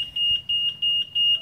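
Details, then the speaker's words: Yamaha Nmax with plug-and-play WiFi remote alarm module in alarm mode: sharp high chirps about three times a second as the scooter is shaken or moved; vibration alarm triggered, stops after 40 cycles. "Alarm ini kalau ini dihidupkan ini alarm ini kalau dihidupkan motor terkena getaran ini dia akan bunyi ya motnya Misalnya dituntun orang atau kena getaran dia akan"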